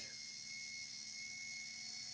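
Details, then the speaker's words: Bulldog F1 RC car motor being run in on a 12 V bench supply, current dropping from 0.25 to 0.17 A; steady high thin whine with no clicks, likely drivetrain ringing; normal motor and gear whine. "Still ringing like a bell. Actually, I think it's just the drivetrain, isn't it?"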